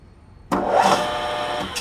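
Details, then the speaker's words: Grizzly G4003 lathe drive motor: rough, gritty growl as it spools up, getting progressively worse, belt tension fluctuating; owner suspects a bearing or mechanical fault in the motor itself, after the gears were ruled out. "Now, you hear when it spools up that kind of rough noise that almost a little growling. Right there at the end. And it gets progressively worse."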